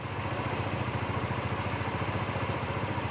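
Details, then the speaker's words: Yamaha Novo scooter after an ISC valve reset without a scan tool, spring removed, error 37 cleared: an even low putter at about three and a half beats a second, holding steady without hunting. Stable normal idle. "Ổn định tuyệt vời không anh em nghe tiếng guarantee thì ok ạ"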